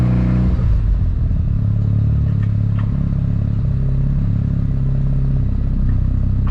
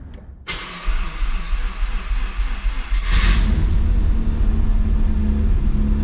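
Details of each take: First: Mazda RX-7 FD rotary at warm idle after about 10 minutes of idling, temperatures steady at 70 degrees, no unusual smoke; smooth, steady low burble with an even, slightly choppy pulse and no knocks or rattles, a normal healthy warm idle. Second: Mazda RX-7 rotary that is losing coolant to an unknown place, possibly the rotors, started in first gear with the clutch pressed: slow, labored cranking, then a loud, uneven high idle. A rough, hard start; cause unconfirmed.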